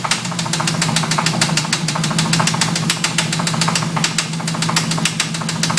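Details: 1992 Formula 350 at idle: sharp metallic knock about three to four times a second, steady and persistent, a deep bottom-end knock; suspected rod knock, cause unconfirmed.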